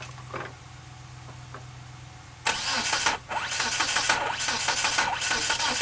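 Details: 1997 Mitsubishi Eclipse GSX with 95/96 ECU and cam sensor flipped 180°: starter churns in uneven bursts for several seconds without catching; owner suspects timing or the cam angle sensor.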